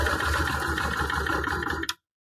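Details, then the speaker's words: Honda Transalp twin, idle mixture screw closed half a turn on one carburetor: fast, uneven idle chugs then stalls after about two seconds because the mixture is too lean; opening the screw fixes it. "First, we're going to try what will happen if we turn off half a turn. Let's see. As you see, when I'm trying to close half a turn, the problem getting"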